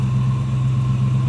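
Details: 1965 Ford Mustang convertible, C-code 289 V8 with automatic and chrome dress-up, idling under the hood: low, even rumble with a smooth steady beat, no knocks or misses; smooth running 289, normal idle.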